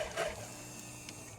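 A short, even electric hum with a low buzz holding steady for about a second, typical of a healthy fuel pump priming.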